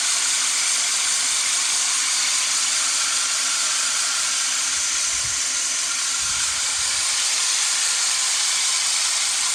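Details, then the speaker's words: Great States manual push reel mower being backlapped: applying lapping compound turns the reel-against-bed-knife sound into a loud, even, gritty grinding with faint rhythmic scraping that grows smoother and smoother as the reel is sharpened. "when I applied that lopping compound it changed the sound of the the reel it kind of made a greedy grinding sound and it kind of got smoother and smoother as it went"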